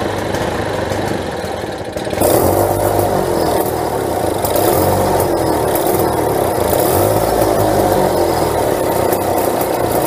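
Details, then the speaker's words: Vintage late-60s/early-70s Tecumseh two-stroke mini bike engine, first run after sitting for ages: loud, uneven idle stumbling and surging; rough running, carburetor needs removing and cleaning. "hey that runs it's not perfect the car B needs to be taken off and cleaned up properly but she's running alright"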